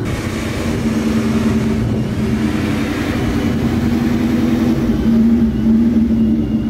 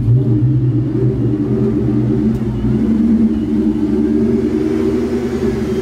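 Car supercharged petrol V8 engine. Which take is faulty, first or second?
first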